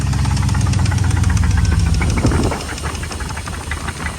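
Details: Jeep WJ 4.7 V8 that began knocking while driving normally: deep uneven knocking about three times a second, easing as revs drop; bottom-end knock suspected, cause not yet known.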